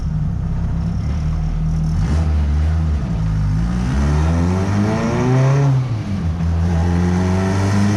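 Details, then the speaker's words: Honda Civic EG with a fresh transmission, on a boosted pull: revs climb and sag unevenly with a stuttering note. The two-step launch limiter was engaging because the speed sensor was unplugged. "so after checking out the logs we realized the speed sensor was unplugged so we were hitting two-step during the pool"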